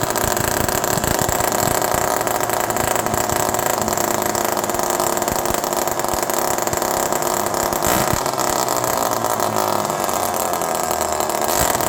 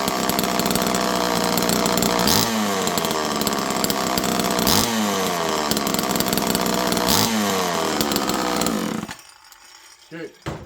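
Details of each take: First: Homelite Super Mini chainsaw running with no muffler, outdoors in the cold, low jet at 1.5 turns. The unmuffled two-stroke screams at a constant high pitch and never drops back to idle. An air leak is suspected, not confirmed. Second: Homelite Super Mini chainsaw: crisp two-stroke that revs up and falls back cleanly about four times, then cuts out abruptly. It is running normally.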